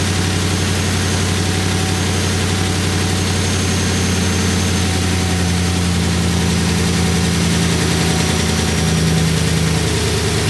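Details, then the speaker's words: 2019 Ram 5.7 after a no-start from an empty tank with sugar in the fuel, now fuel system buttoned up, fuel pressure restored, oil and filter changed: steady, even idle with a low, smooth rumble, no misses or knocks; normal idle. "So you can see we are running, we have fuel pressure. This thing did have some sugar in it, so we're not gonna be too concerned with how it runs right now."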